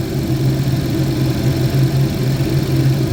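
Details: 2011 GMC Terrain with past P0341 cam code, warm idle after uneventful 20-mile drive; only P0420 remains, cam waveforms clean. Smooth, even drone, no sputter or hesitation; normal warm idle.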